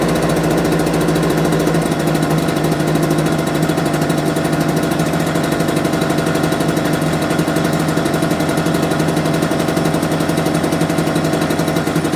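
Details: Homelite UT08572 small two-stroke, not yet warmed up, about two minutes running: buzzy, uneven, slightly slow idle struggling to stay running; idle too low and it died on its own, owner might adjust idle.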